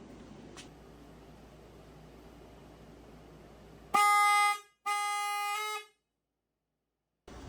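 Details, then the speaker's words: Horn wired with crimped male spade connectors and powered by a drill battery, to be hidden as a prank: two loud, steady, bright blasts of about half a second and one second; strong and clear, horn works. "All right, it works."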